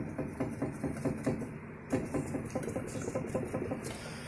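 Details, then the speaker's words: 2007 Chevy HHR raised on a lift, rear wheel rocked by hand: light quick clicks about five a second from a worn rear wheel bearing that also roars while driving, before replacement. "i can push on it and feel it clicking in there just you can hear it listen"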